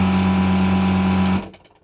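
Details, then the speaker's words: Desoldering vacuum pump on a variable-speed drive, used while removing parts from a CNC power supply board: steady, even low hum that never wavers, no bogging, lots of suction, then spins down cleanly; normal running. "You'll also notice that it doesn't bog down at all when I'm using it. You can hear it's pretty constant. Lots of suction."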